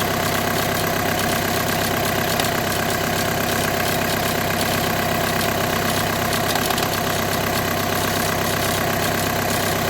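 Steady idle with a constant buzzy rattle riding underneath; sounds like vibration from the gearbox, possibly the clutch pack or its bearing.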